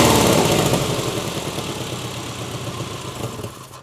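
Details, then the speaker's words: Engine revved with camera set down nearby: a sharp puffing tick rides the exhaust note as revs decay. Air escapes where the exhaust manifolds bolt to the cylinder heads, with an unburnt exhaust smell; the cheap manifold gaskets failed after one week. "So, I hope through the recording you can hear the air escaping. It sounds air is escaping where the manifolds bolt up to the cylinder heads. Plus, I can smell un burnt unburnt exhaust. Clearly, these gaskets are no good."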